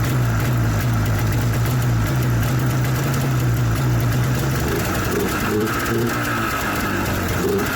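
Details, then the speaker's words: 1994 Yamaha VX500 two-stroke snowmobile, idling low and uneven then fading out and stalling after about five seconds; owner suspects something isn't strong enough or the spark is weak. "wonder why it stopped on that one well either this one isn't strong enough or the Spark's not good enough and that's why it shuts off"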